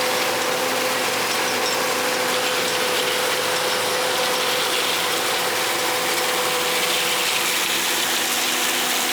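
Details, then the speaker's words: John Deere 9400, back running after loading auger gearbox repair: fast steady metallic clinking over constant whine; a broken little bar on the 516 drill rattling. "that clinking nois you hear that is one of them little bars on that drill it's got a tendency the braak"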